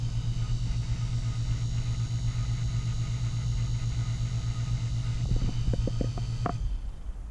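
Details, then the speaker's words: Taco SS circulator pump on a fully purged snowmelt loop, mounted directly to wall studs: steady low drone; owner suspects vibration transferring into the framing and considers rubber isolation pads; low drone. "the the hum here the low low drone i think is because i i screwed it right to the studs so you know i'm sure it's transferring some vibration to the frame"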